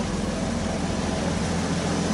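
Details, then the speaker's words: BMW diesel engine swapped into a Dart, right after its first start: even, steady, quiet low idle with no knocks or misses; healthy, owner suspects vacuum leaks. "It's pretty quiet. I know I'm shouting, but I'm gonna give it one rev. I just want to hear it."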